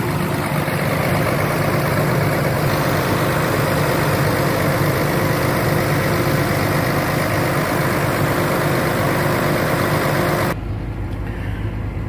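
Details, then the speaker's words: Caterpillar machine diesel that had cranked but wouldn't start because its injectors no longer atomized fuel, now running after the injectors were repaired and refitted: an even, steady idle with a low rumble and regular firing, no misses; normal idle. "como puedes ver está en marcha la máquina y vamos para que veas fíjate para que veas la falla que hizo la máquina"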